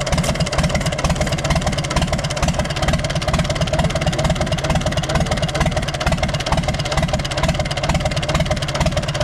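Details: Universal 550 tractor diesel at steady idle with a regular heavy knock about twice a second over the diesel clatter; rod bearing gone, moving up and down, bearing seized/spun and crank shows about 1 mm wear mark. Earlier fuel leak suspected injector.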